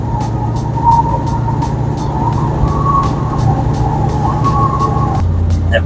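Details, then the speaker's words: 1973 Mustang V8 (130 hp, new carburetor) driving with a wavering high squeal over the deep rumble; newly installed tie rod ends left the front badly aligned and the tires are scrubbing. "I just put tie rod ends on this thing and not very well aligned [Music] obviously I just feel them eating themselves I just these are good TI I don't want to ruin them well other than that it's not you can hear squealing"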